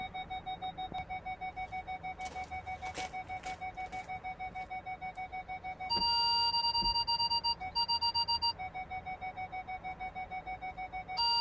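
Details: Ford Galaxy parking sensors after repairing the faulty speaker (fault B1B53): steady rapid beeping about three per second, speeding into a faster pattern as someone passes in front of the sensors; system working normally.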